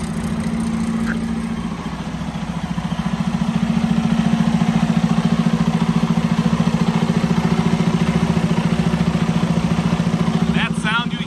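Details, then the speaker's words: 2019 Freightliner Cascadia DD15, 785,000 miles, after valve adjustment: even, regular diesel idle clatter with faint air hiss from compressor line to air filter housing; engine healthy, different from before. "so definitely not the same sound as it was before but pretty good nonetheless"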